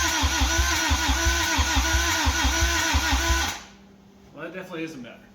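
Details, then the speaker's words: 1985 Toyota MR2, 4A-GE 16V, long sitting, jumper-wire start, distributor turned clockwise, raw gas sprayed in; steady starter chug about three beats a second, coughing without firing cleanly; cranks but runs poorly, timing suspected. "it won't stay on but it but it it it starts"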